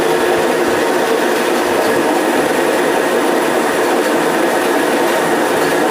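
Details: Homemade automatic motor coil winding machine winding a coil with counter running: steady, even whirring drone, no knocks, surges or scraping; runs smoothly and stops automatically.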